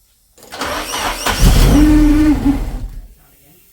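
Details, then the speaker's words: Car started after sitting for months, nearly full tank, previously stalling on its own: cranks and catches, then a mid-pitched rubbing squeal for about a second; cause unconfirmed. "It's rubbing. I know what it is."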